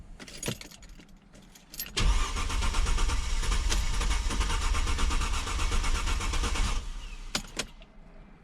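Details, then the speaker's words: 2002-2007 Mercedes-Benz C240 W203 M112: about five seconds of steady cranking at roughly 3.5 pulses per second that never catches; the fuel pump works; cause was a blown ignition coil fuse, number 48. "not good not good right but anyway I found out what the problem was fuel pump is okay it's basically the ignition coil fuse"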